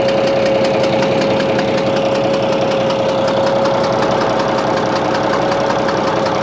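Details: Bizon A-01 diesel at idle: steady clatter with an irregular chuffing knock about twice a second; noise reacts to loosening the No. 3 high-pressure injector line, owner suspects a head or third-injector fault, unconfirmed.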